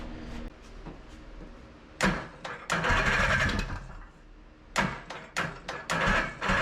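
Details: 1982 Honda Odyssey FL250 two-stroke, freshly overhauled engine, aftermarket Nibbi carburetor, stock exhaust, first start: short revving blips that sag and fade between throttle bursts, never settling; will not hold idle, cause not confirmed.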